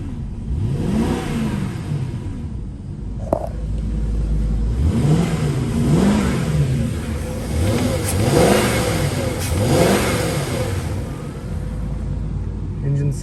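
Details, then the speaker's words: 1997 Jaguar XJ8 V8, revved: smooth, quiet rises and falls in revs, each blip climbing cleanly and settling back to an even idle. The engine runs very smooth and quiet with barely audible exhaust; it is healthy. "engine sounds nice and quiet runs very smooth car has lots of good power for v8 it's very quiet you can barely even hear the exhaust note out back here"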